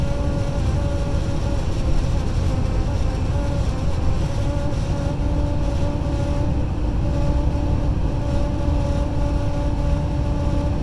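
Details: Honda Ridgeline while driving: steady mid-pitched buzz over road rumble at cruising speed, pitch barely changing; buzzing said to be caused by wind.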